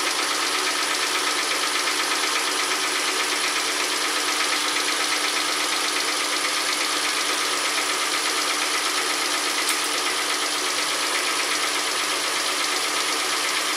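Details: 2012 Kia Soul after engine swap, warming up, burning off oil residue; oil topped up: even, steady idle with fine light ticking over hiss, no heavy knock or miss; sounds pretty good.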